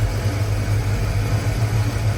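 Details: Ford Fox-body Mustang SSP 5.0 V8 idling after the no-start cause was found: a deep, steady, even rumble, with the header/exhaust noise heard that morning now gone. Runs smooth and healthy.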